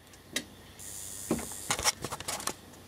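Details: Homemade circuit with a substitute 450 V 1 µF air-conditioner run capacitor and an inductor from a computer power supply: sparse, irregular sharp ticks and crackles with quiet gaps, as if charging and stopping; capacitor suspected wrong, not confirmed.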